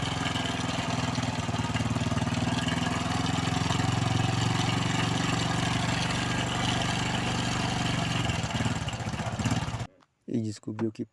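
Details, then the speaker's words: Honda Biz 110 motorcycle single-cylinder idling: a fast, light metallic rattle rides over the beat. The cam chain is slack and moves on its sprocket, likely causing the engine noise; the chain is to be replaced. Cam chain rattle. "então isso aqui já é algum Indío que a corrente está folgada e está pode estar ocasionando aí o barulho aí desse motor"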